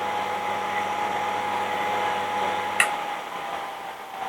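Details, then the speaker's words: Used treadmill permanent-magnet DC motor (rated 180 VDC) run from a variable DC supply, raised from 51 V to about 146 V: steady even hum with mid-pitched whine, then click and wind-down; running normally. "Oke, kita nyalakan. Sini saya putar rendah dulu. Ini di 51 volt. Kita tambah."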